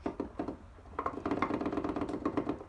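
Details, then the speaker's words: World-class T5 manual transmission during a rebuild teardown, countershaft spun by hand: a loose, uneven clacking rattle instead of near silence. It should have zero end play, but countershaft end play is excessive and out of spec. This was the only fault found behind the loud noise. "it's got what I would consider excessive in play on the counter shaft listen to this you know what I mean this thing is supposed to spend almost quiet no noise"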